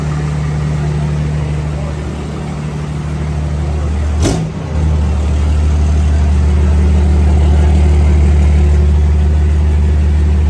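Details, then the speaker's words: Cummins diesel truck swapped from 5.9 to 6.7 with bigger injectors, big turbo and manual valve body, first test drive after transmission reinstalled, warming to recheck trans fluid: steady deep drone, one brief bump, then smooth; all gears work, normal running. "first test drive after we got the trans back in try to get it warm so we can reject trans fluid"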